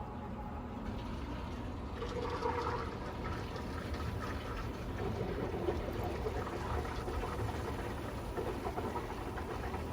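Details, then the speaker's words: Pump recirculating vinegar through a tankless water heater during a descaling flush, brand new and first unprimed, changing pitch as air bubbles work out, then a soft even low hum with a gentle watery rush and no gurgling. Normal circulation. "Okay, so our pump is starting to change pitch here. I think it didn't really have a prime since it's brand new. There we go. Okay, now we're getting these air bubbles worked out. You can hear it circulating through this"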